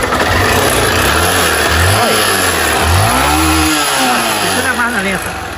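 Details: 160cc motorcycle with engine noise three mechanics couldn't find: uneven idle with a loose metallic rattle under the revs that worsens when blipped. Mechanic suspects piston slap.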